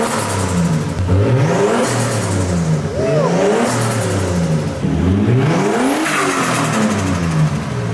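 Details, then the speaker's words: Nissan Skyline RB25DET on RB20 adapted harness, first start, exhaust off, warming up: rising revs with rapid fluttering chatter and a whoosh as throttle snaps shut; compressor surge from a blocked-off blow-off valve. "It's getting hot already, but you hear that flutter?"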